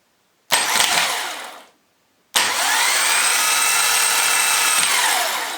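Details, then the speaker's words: Starter motor for Jaguar X-Type/Ford Transit/Mondeo, bench-tested after cleaning and oiling, powered from an old, slightly flat battery: two short bursts, the second a clean high whir that holds then winds down; starter spins freely and sounds healthy. "that sounds better my battery is getting a bit flat it's an old one but that's all right"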